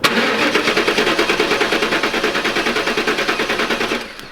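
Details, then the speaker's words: Pontiac Trans Am 4th-gen LT1 V8, fuel pump relay unplugged, compression test on cylinder 3 (about 162–167 psi), checking misfire and stalling; even cranking about three per second for four seconds, no firing. Normal cranking, good compression. "All right, let's go ahead and check cylinder number 2. About 167 or so on that"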